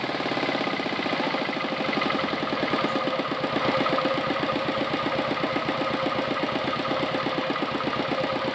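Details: R180 single-cylinder diesel on a tractor, idle previously too high, after adjusting the throttle (butterfly) idle stop: slow, even thump at about four beats a second; idle sits low and steady, running fine.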